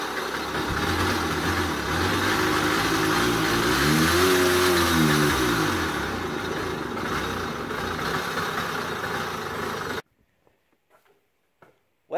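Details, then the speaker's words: Old Honda Express two-stroke moped, just revived. Runs rough and rattly, revs rise and fall, then stalls; owner suspects bad main bearings with leaking seals letting in too much air: rough running and stalling. "bad news no rip it's not going to happen and what happened is guys it's just it's start and installing and not wanting to run and I think it's just getting too much air"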